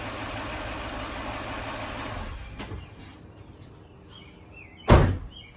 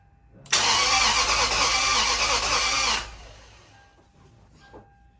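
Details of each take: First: 2004 Lexus GX470 first start after teardown, timing redone, compression readings inconsistent, no coolant yet: steady, even idle around 700 rpm, no stumbles or misfire, then a door thud; some smoke blamed on leftover radiator fluid boiling off. Normal idle. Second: 2004 Lexus GX470, first start after full teardown and retiming, no coolant yet, uneven compression readings; catches and runs about two seconds with a ragged, uneven roar, then shut off; sounded a little funny, smoking, owner suspects old oil burning off; rough running.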